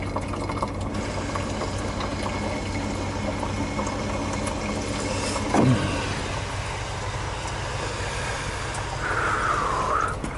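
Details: 1986 GMC S15 with 2.5 Iron Duke engine running, at the filler: gurgling and sucking as vacuum builds, then a surge of bubbling coolant with oil on top; failed head gasket.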